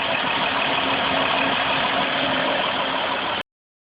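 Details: Dodge Caravan/Chrysler Town & Country (3.3/3.8 engine) after replacing the power steering reservoir and old, burnt-smelling fluid and priming the system; previously whined or ground, especially cold. Steady hiss-laden idle with a faint smooth whine and no grinding; normal power steering pump operation.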